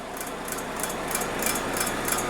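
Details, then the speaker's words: Vehicle with rear wheels spinning, sound from under rear: light crisp ticks about three per second under soft hum; prop shaft ticking, located with acoustic camera. "So what we've got on here, so hopefully you can hear it, is a bit of a ticking noise. The back wheels are spinning at the minute, and when it's in motion, there's like a ticking noise coming from the back."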